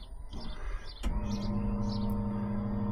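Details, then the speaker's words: Fuel pump priming on an LS-swapped 2nd-gen Firebird after fitting a fix for a fuel restriction: click then steady, even quieter hum, pressure jumping straight to 9.5 before the regulator is lowered; normal fuel pump operation. "That sounds quieter. And we've gone straight to 9.5. Uh I'm going to lower that."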